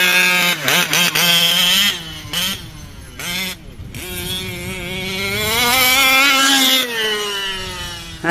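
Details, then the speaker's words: OBR 34 reed small-bore two-stroke in a 5B-type RC buggy revving up and down in rough, burbling pulls that never clean up on top; still a little rich at high rpm, needs leaning out slightly. "i think she's still a little rich on top so you hear that"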